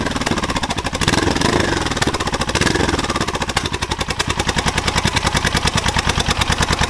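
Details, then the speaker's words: Suzuki GS500 scrambler, first start with new homemade turbo headers and collector fitted, outdoors; rough uneven running with pops and cracks turning into a rapid even pulse, backfiring as fuelling isn't tuned to the exhaust, carbs probably need balancing. "okay so she pops and bangs a lot you know it's going to be expected because it's not tuned to have this exhaust system on it at all the carbs probably need balancing and all sorts yet"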